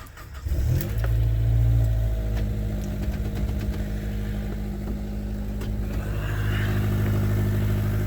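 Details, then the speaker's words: 2004 Honda Element EX, five-speed manual, all-wheel drive, about 283,000 miles, starting and idling: deep rumble with a raspy puffing edge. Exhaust leak at the flange behind the catalytic converter, where an aftermarket donut gasket, possibly too big, worked loose. "the hood pop for you i'm pretty sure you can hear it it does have a exhaust leak [Laughter] it is at the flange right behind the catalytic converter"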